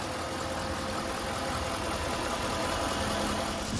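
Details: Jeep Grand Cherokee Trailhawk idling after its leaking water pump, the source of an earlier rattle, was replaced before overheating: a steady, even idle hum with no rattle or knock; the engine sounds healthy.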